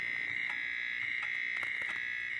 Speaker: ROM is pretty noisy so it's funny that Chip's the worst eh